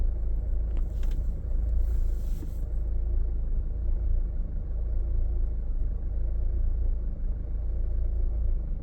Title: Hyundai Santa Fe 2012 auto rough idle